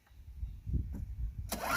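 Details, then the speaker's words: Craftsman Eager 1 4hp chipper vac (987.799790), first start on a little fresh gas after priming, carb possibly needing cleaning: coughs, catches briefly, rough loose burst; owner primes more. Stalling after start, fuel-starved. "Prime it some more. See, because it's stalling."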